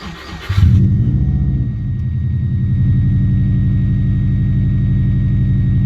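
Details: Subaru Impreza after cleaning the air recirculation valve (fault code 24) that caused idle revving up and down: starter cranks briefly, engine catches and settles into a smooth, even idle, no hunting, engine light off.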